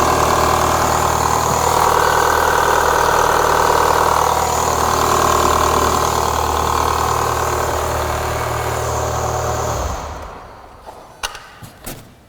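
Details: 2004 Renault Clio 182, first start after years; light top-end rattle over steady engine note after a tiny rev, bottom end judged fine; worn cam dephaser pulley, cambelt change planned.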